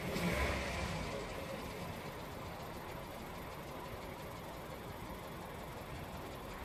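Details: Skoda Octavia A7 1.2 TSI, 47,500 km, no dash errors, hesitation and clanking under load that fade after hard 2nd-gear pulls to 3500–4000 rpm: petrol engine running with irregular light knocking about three per second; knock of unknown origin.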